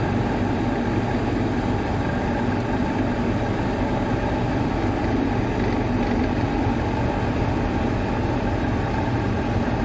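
Steady even motor hum with no grinding or rattle, consistent with a fan motor running smoothly on good bearings.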